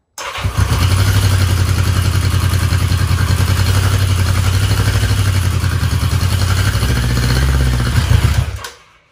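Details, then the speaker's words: 1982 Yamaha Maxim 650 after a full day battery charge, choke on: starter sounds weak, engine catches, runs unevenly with lumpy wandering idle and dies; owner suspects debris in a main jet. "Yeah, it's not staying, starting, and it's kind of rough idle."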